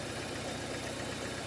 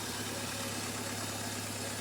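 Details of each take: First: 2011 Ford Ecosport, Zetec Rocam engine, misfiring on two cylinders with no current reaching the spark plugs from the coil towers. Lumpy uneven idle with loping low thump; failed ignition coil driver in the ECU. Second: 2011 Ford Ecosport, Zetec Rocam 1.6, which was misfiring with no current to coil towers 2 and 3: after adding grounding to those towers it idles steady and even with no vibration or misses.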